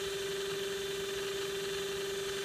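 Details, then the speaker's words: Mikron TH-5104 thermal imaging camera (about 1996): steady mid-pitched hum with hiss from the scan mirror oscillating fast on its torsion bar, the loudest part, vibration felt by touch; normal and nothing can be done about it. "so here's that sensor so this this right here is what's making the most noise but there's really nothing you can do about it you know you yeah touch it you feel it"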